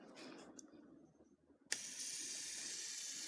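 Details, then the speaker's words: Novarossi 28-8 nitro RC engine clutch bearings spun by hand during disassembly: faint at light spin, loud high hissing whir and howl cutting in and out when flicked; worn but not seized, to be replaced. "that bearing howling that lower rpms you don't hear it as much so you don't really hear when you spin it lightly but then when you give it a good flick you're cutting in and out"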